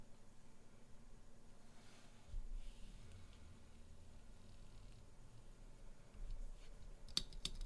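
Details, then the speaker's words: Mechanical keyboard spacebar with stock, unmodified Durock/Everglide stabilizer sliders, before the mod: sharp spacebar strikes with a loose, clacky rattle from the stabilizers. "plenty of rattle right"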